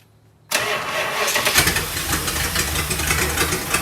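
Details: 1965 Chrysler Imperial LeBaron abandoned 20+ years, running on a new Edelbrock carb with a big exhaust leak and radiator leak: engine catches at once and settles into a steady, even run without misses; healthy start.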